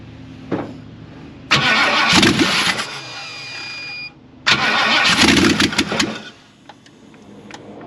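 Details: 1958 Ford F100: two bursts of cranking, each time the engine catches and roars briefly on starting fluid before dying. It fired.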